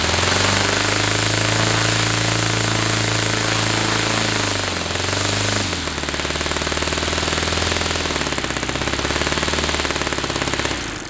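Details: Saito FA-300T twin glow model engine on a customer run with onboard glow on and a sticky, tight throttle linkage: loud, crisp, even rapid firing holds a steady pitch, dips briefly, then recovers clean; running well.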